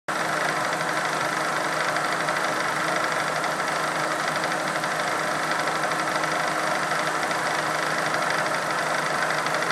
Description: This is a video of an odd sound coming from my X-Charger unit.